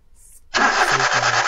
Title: #Car no start#no #spark #plug #current, অনেক সেল্ফ মারার পরেও গাড়ি স্টার্ট হচ্ছে না